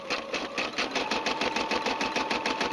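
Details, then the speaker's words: Brother SE 350 embroidering after rethreading; quick, even needle stitching about five beats a second with a light, clean clatter, described as sounding very good. Normal embroidery run. "And as you can see, it quilts, or it embroiders very nice, very nice. Now I'm going to go ahead and pause the video for this. We're going to finish this off. You've heard the sound. Sounds very good."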